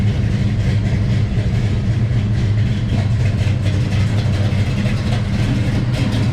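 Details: Big-block Chevy V8 in a Bel Air, after fuel line repair: deep, steady rumble holding an even beat with no knocks or stumbles, running cleanly. Normal running.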